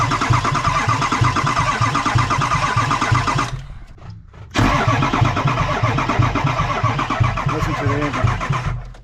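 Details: 2003 Ford F350 6.0 Powerstroke diesel no-start: cranks with a heavy rhythmic thump each turn, pauses, cranks again without firing. Owner suspects a bad lifter and a failed low-pressure pump, possibly needle-bearing damage.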